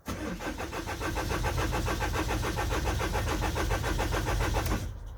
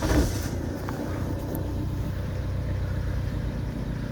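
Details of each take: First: 2009 Vauxhall Movano minibus, sat unused with repeated flat batteries and jump starts; engine management light off, no communication with engine ECU; starter spins the engine evenly at about three to four pulses a second but it never fires; crank, no start. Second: 2009 Vauxhall Movano diesel school minibus, previous no-start with no engine ECU communication and flat batteries, running with blown fuse bypassed via power probe: steady, even low idle rumble, no knocks or misses; engine light on; normal idle.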